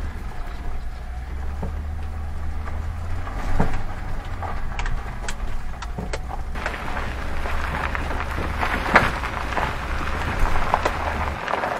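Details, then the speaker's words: Sharp irregular knocks under the car over road noise when driving over road bumps, from a worn ball joint that broke apart and holed the steering knuckle. "Вы едете вот так , и на неровностях дороги слышен неприятный стук ."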